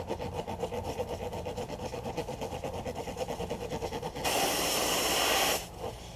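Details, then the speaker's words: Truck tire punctured by a self-tapping screw, screw removed and hole reamed before plugging: rhythmic reamer scraping then loud steady hiss of escaping air; tire air leak. "you can hear the you can hear the air coming out that's pretty good hole"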